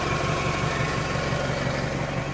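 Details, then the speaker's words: 1998 Toyota Camry, 154,000+ miles, idling after repair of a failed water pump bearing that took out the timing belt: a steady, even idle thrum with regular low pulses and nothing tapping or whining. Recorded on a phone. Sounds like a healthy engine. "and it's actually, you know, pretty stout little setup there. It runs good. I'm going to start it up here."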